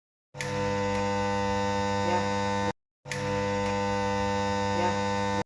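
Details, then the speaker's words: Overlock sewing machine motor switched on: steady electrical hum in two short bursts but never spins up or starts. "Cuando tenga este problema que el motor zumba o hace ruido nada más y no termina de encender, entonces rápidamente apague la máquina, diríjase a la parte de atrás del motor"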